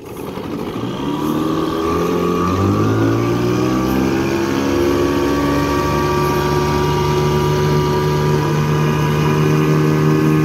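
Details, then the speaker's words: 1984 Evinrude 6hp two-stroke outboard on a lake test after crankshaft spline repair with a hex-drive extension, reaching 14 mph: engine climbs smoothly to a steady, strong, even drone under load with no misses or knocks; healthy. "reverse back into forward all right seems to be a happy little motor again 14 miles an hour out of a six horse i'll take that"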